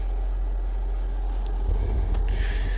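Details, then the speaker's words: 12 V battery-powered parking air conditioner on a semi truck, set at minimum temperature (16°C): low, steady hum with very little vibration, only a brief higher tone late on; running normally. "So minimum temperature, so very little vibration, nothing else."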